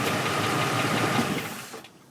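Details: Ford at idle: quick rattling knock before the engine dies away, traced to a bent flexplate.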